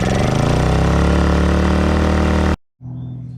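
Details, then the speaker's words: Honda EU2000i inverter generator, first run on a new aftermarket carburetor after an ether shot to prime the vacuum fuel pump, runs with a smooth steady drone and no misses: normal running. "That new carburetor is doing just fine there."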